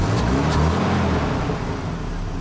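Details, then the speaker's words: Abandoned 1990 Mercedes 230CE petrol engine running steadily with a low even hum and no top-end or bottom-end knocks. This is after the swapped spark plug leads were corrected to the proper firing order. "happy that sounds great as well as no bad top end noises there's no bad bottom end noises everything works well here"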